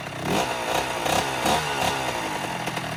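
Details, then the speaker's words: 2009 Kawasaki KX85 two-stroke after repair beyond a carb clean: crisp high-pitched rasp rising and falling cleanly with throttle, no bogging or misfire; running as it's supposed to sound. "That's how it's supposed to sound."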